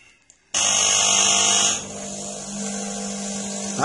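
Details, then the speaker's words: DeLonghi EC270 espresso machine after replacing the water pump: hard steady buzz starts abruptly and eases slightly; noise is normal. "déjà le bruit est normal. C'est bon signe."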